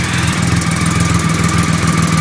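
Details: 2008 Triumph Rocket 3 after the starter relay mod, started on a borrowed battery: steady, even low-pitched idle with regular firing pulses, no misses or surges; running cleanly.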